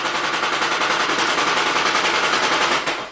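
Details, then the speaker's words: 2010 Toyota Prius brought in after the owner's DIY head gasket replacement; the ECM reported P0304 but scan data shows cylinder 3 misfiring. Harsh jackhammer-like hammering at three to four beats a second; zero compression on that cylinder. "Man, it sounds like a jackhammer. Alright, so we're still having misfire number 3."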